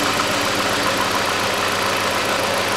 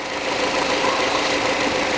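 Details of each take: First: Hyundai Accent 2006, 1.6 petrol, manual, after the throttle body was cleaned. Uneven, shaky idle with a stumbling beat under dense engine clatter, the engine won't run smoothly. Ignition coil misfire. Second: Hyundai Accent 2006, petrol, manual, after a new ignition coil was installed. Steady, even hiss of a running engine with no stumbles or pops, a smooth healthy idle. Normal idle.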